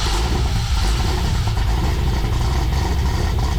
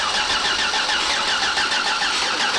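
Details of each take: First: Freshly built 6.8 LS3 stroker V8 in a '55 Chevy pickup, first fire-up after fixing injector plugs: deep, steady rumble with even firing, no stumbles or knocks; oil pressure good, all cylinders pulling, healthy. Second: 6.8 LS3 stroker V8 in a '55 Chevy pickup, first start attempt with injectors unplugged to check oil pressure and spark: even, brisk starter cranking, engine spins freely and never catches; no spark found, tune suspected.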